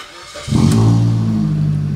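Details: 2006 Suzuki Swift GL CBU, automatic, used-car inspection start: quick crank, fires cleanly with a deep exhaust rumble and settles into an even idle; normal healthy start, though the ABS warning light stays on (diagnosed faulty ABS module).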